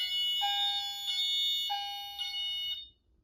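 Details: Notifier NFS-320C fire alarm control panel demo, detector activated with heat: clear chime striking about every 0.6 seconds, ringing high and bright over a quiet room as the panel goes into fire alarm.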